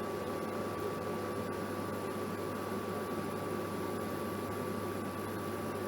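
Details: Germanica portable induction cooker at full power bringing water to a violent rolling boil at about 1 minute 50: steady high whine over even fan hiss and a low hum; running normally at full power.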